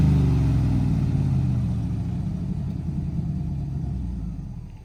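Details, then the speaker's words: 1968/69 Chevrolet C50 truck with Quadrajet carburetor, sitting since 1981, first run: deep steady V8 burble at idle, even beat, no knocks or misses; runs cleanly, though oil is fuel-fouled and overfull. "What an absolute beauty. And it runs like a hop,"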